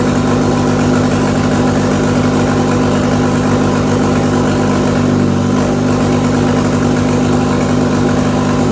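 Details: RWD-converted Mk2 VW Scirocco with 1.8T 20v turbo engine, shifting up to third with rear wheels spinning: steady even idle, smooth firing and low hum, no knocking or grinding as gears engage; healthy.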